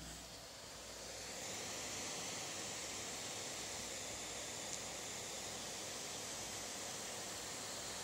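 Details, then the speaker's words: Apple MacBook Pro Retina cooling fan maxed out while exporting a video, laptop running hot: steady, even airy hiss like light rain with no ticking or rattle, in an otherwise silent room; fan at full speed under heavy load. "I think you can uh hear a noise like raining. That is the maxed out fan noise from MacBook"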